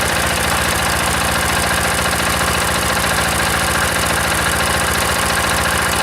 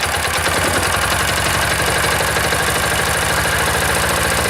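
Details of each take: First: Old single-cylinder diesel, decompressor start: thumping around 214 beats a minute with a slight irregular flutter; idle not quite even, cause unclear. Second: Old single-cylinder diesel, started with decompressor, outdoors at about -5 to -7°C: steady even idle thump with no knocks or stumbles, ran about 10 minutes; healthy.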